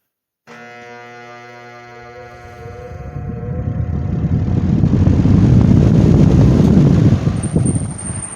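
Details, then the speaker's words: Vintage Wizard box fan with original Westinghouse motor, started on high speed: steady electrical buzz and hum rising into blade whoosh as it spins up; buzz recently appeared suddenly, not always present; cause unclear. "Other times when I would start it up, it wouldn't have that buzzing sound to it."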